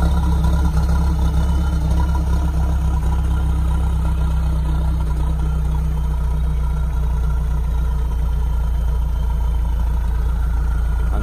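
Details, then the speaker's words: Mahindra ROXOR diesel started after cold-weather outdoor storage at -5F, standard battery; after smoky start, settles to even steady idle clatter with no misses or knocks, smoke reduced; normal idle. "they can hear how it's moved out it's now running smoothly the smoke has reduced"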